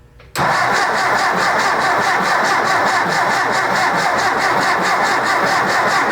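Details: Rebuilt 1964 Ford 4000 Rowcrop diesel, first start after restoration, out of gear with throttle barely open: steady starter whir with even compression pulses about five a second that never catch, while bleeding the injection system.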